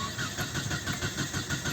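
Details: 1996 Nissan Altima, cold day, with distributor rotor and cap previously replaced and fuel pump heard running: strong, even cranking at about four pulses a second that never fires. Crank-no-start traced to a dead camshaft position sensor.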